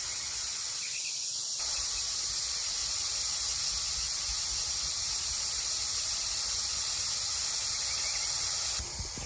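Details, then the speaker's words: Truck tire punctured by a rusty screw, aired a few pounds above running pressure before plugging: loud, steady, unbroken hiss of air escaping fast around the screw, nearly blowing it back out. Fast leak. "That way, by the time I plug it, y'all can hear that air coming out fast. It's about to blow the screw back out."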